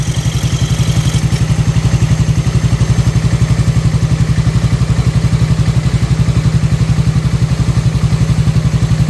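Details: Yamaha NMAX scooter engine after repair of a rough tek-tek noise; idles with a steady, even low thump and no ticking from the valve area.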